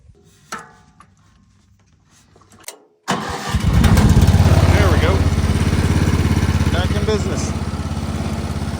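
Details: Chinese mini excavator with a crank-no-start caused by a black, fouled spark plug; after cleaning the electrode with a brass brush it catches at once and settles into an even, steady low thrum of about three beats a second, a clean start.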